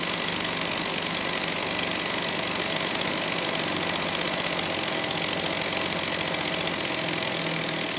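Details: STIHL 028 AV Super chainsaw, rebuilt with non-OEM parts after running straight gas; at high idle, choke off, buzzy uneven hunting note never settles, weak response off idle, slightly lean at high speed; unstable idle from crankcase air leak.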